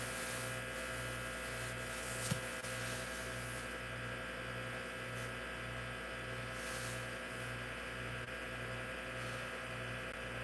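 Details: Hard drive in an IBM PC/AT that was damaged in shipping runs unusually loud: steady low hum, regular pulsing buzz about twice a second and a faint high whine. Spindle motor and bearing noise drowns out the head movements. Cause suspected, not confirmed.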